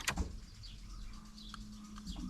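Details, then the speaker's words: Jeep Cherokee dormant 8 years, fresh four and a half gallons of fuel added: key on brings clicks and a faint steady hum of the fuel pump priming, repeated a couple of times; pump working. "yep there it goes just going to do this a couple times to kind of prime the pump"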